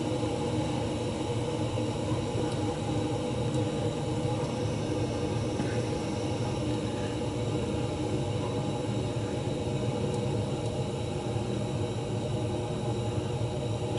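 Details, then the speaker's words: Residential well pump kicking on at 20 and running to 50: steady even hum with no knocking or pipe shudder; pump normal, pipe shaking at midnight suspected from something in the house, possibly a toilet. "So, when a pump kicks on, kicking on, it's not making the noise. It's pumping. It's got to be something in the house making the noise."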